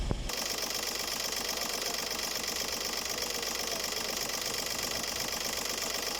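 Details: Skoda Fabia 1.4 TDI diesel, accessory belt removed, customer reported a squeal near the accessory belt: steady, even idle with consistent fine clatter and no knocks, squeals or rattles: normal idle.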